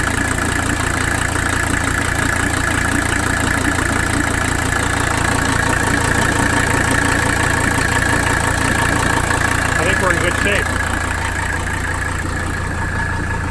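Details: 1985 Mercedes 300D diesel, cranked up during a fuel pressure check: clatter at idle with a slightly uneven, shaky pulse in the low rumble. The idle is rough; the cause is still being narrowed down, with a weak overflow valve being checked.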